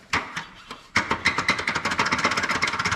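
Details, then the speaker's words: 2006 Silverado (6-cylinder): sharp, high chirps speeding up to about four a second with wheel rotation; an annoying squeak from the wheel, also heard going down the road, cause not yet found, heard before fitting new wheels and directional tires. "what I'm hearing going down the road. It is annoying."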